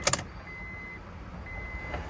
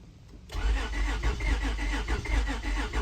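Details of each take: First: 2003 Honda Odyssey after timing belt and tensioner replacement, cranks but won't start; at key-on the fuel pump hums and primes normally for a couple of seconds while the immobilizer light blinks, suspected unprogrammed transponder key. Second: 2003 Honda Odyssey, after timing belt and tensioner replacement: starter cranks steadily about seven seconds but engine never fires, no spark; scanner shows crankshaft position sensor good (RPM read), immobilizer not recognizing key suspected per service bulletin.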